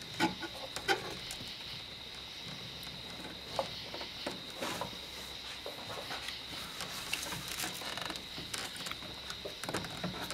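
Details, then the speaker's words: 2004 Ford F150 after running, vacuum line pulled off booster: airy vacuum hiss with wet gurgles and splashes from brake fluid leaking out of the back of the master cylinder into the booster. "Hear that splash? That is all the brake fluid that's inside the brake booster."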